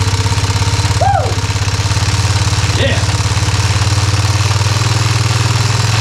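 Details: Yamaha motor just reinstalled in frame with brand-new carburetor and fresh fuel, first start: engine catches and settles into a steady, slightly lumpy idle with strong low thrum and even pulses; running normally.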